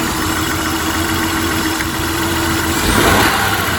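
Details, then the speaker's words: High-mileage Honda petrol car idling with an uneven, stumbling misfire during a power balance test, unplugging each coil pack in turn; the front three cylinders are firing. "definitely slows the misfire so we'll just unplug each of these and see if it gets worse"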